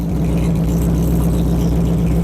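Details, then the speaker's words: V8 idling, heard from outside with a gauge reading of 49: low exhaust with a slightly uneven, choppy lope; otherwise steady and running normally. "Yeah. I love that chop sound it makes. Oh. There we go. Sorry about the lighting there. So I like that choppy sound it makes."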